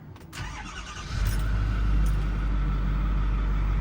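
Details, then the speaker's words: 2008 Ford F-350 dually, believed 6.4L Power Stroke diesel, 126,166 miles, in for rotted cab mounts: brief crank, catches quickly and settles into a steady, even low rumble with no knocks or misses; runs smooth, healthy. "Runs smooth, nice sounding diesel."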